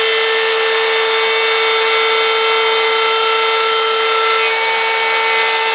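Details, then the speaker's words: DeWalt router freehand carving a sign: hard steady high whine with bright edge through the cut, louder than usual; owner thinks the bearings are starting to go and can feel it. "normally that Rider is a lot quieter than that but with the bearing's going bad is starting to scam a little I can actually feel it"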